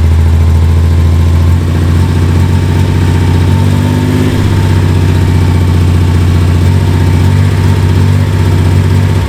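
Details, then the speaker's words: Misfiring engine at idle, uneven lumpy beat over deep hum; ignition checked and coil replaced, misfire blamed on coolant-fouled spark plug; misfire from fouled plug, not ignition. "Um, and of course, you can hear that misfire, and that is not caused by ignition. That's caused by a foul plug"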